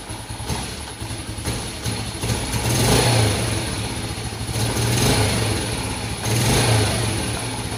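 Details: Yamaha Vega Force that was hard to start and heavy on fuel, after replacing leaking valve stem seals restored compression; first start, catches and settles to a steady idle with light throttle blips, running normally again.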